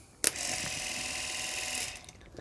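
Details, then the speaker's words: Classic Fiat 500 12V dynamo off the car, fed 12 V to run as a motor: short even high whine spins up, holds steady, then stops; dynamo turns freely and is good. "so there we go we know that that is good and so therefore if it runs that way as a motor it should run the other way as a generator"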